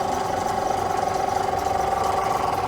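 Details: Chinese copy of a Tohatsu 5 hp outboard, just restarted after gearcase and water pump reassembly, idling smooth and even with no misses or knocks; tell-tale stream flowing weakly, normal for these motors, which have no thermostat; runs well.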